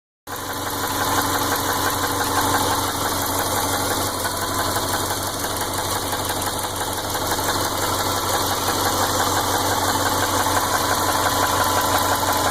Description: Ticking noise that doesn't go away, worse when cold. Runs and drives fine. Listening to the constant tick gets annoying.